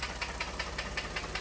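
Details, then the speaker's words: Ford F-150 3.5L EcoBoost at idle, relative compression good: sharp hollow knock about five per second, loud on cylinder one under a stethoscope and hitting hard near the valve cover bolts. Piston slap from a broken piston skirt. "but listen to this listen to how this [Applause] sounds real loud on cylinder one right here I use this stethoscope and I could definitely pinpoint cylinder one"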